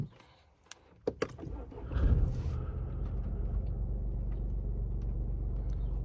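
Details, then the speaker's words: BMW 116d diesel cold start at 11 °C outside after oil change; couple of clicks, short crank, then catches and settles into low, steady, even idle; healthy cold start. "Evet yağ deişimi sonrası şöyle dış Sıcaklığı da söyleyeyim sizlere 11 derecede aracın soğuk çalışmasını yapıyoruz beraber"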